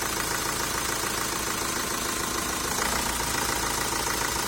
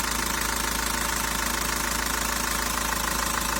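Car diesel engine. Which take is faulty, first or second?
first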